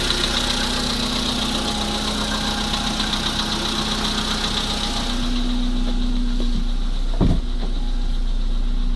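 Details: VW Polo sedan engine at steady idle: light, irregular tapping about three times a second; engine knock, source unidentified.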